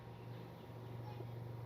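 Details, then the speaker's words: Car with an engine vibration problem, idling in neutral with the AC off and a water-glass test. Very quiet, smooth steady hum with no knocks, rattles or roughness, and no vibration felt at the steering or seat. "Vibration சுத்தமாக இல்லை எனக்கு. ஸ்டேரிங்லேயும் சரி, சீட்லேயும் சரி, சுத்தமாக vibration வந்து எனக்கு தெரில."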